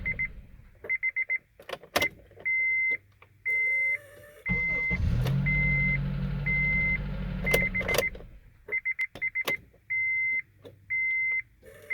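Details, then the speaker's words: 2003 Honda CR-V with a worn ignition switch: a steady electrical buzz when the key is held in start, with no cranking, between key-in chimes; sometimes it will not start. "so that's the problem is the Honda as you can clear a little bit buzzing when you just turn your key into the starting position to start the car it buzzes instead of starting sometimes worse than others sometimes it just will not start"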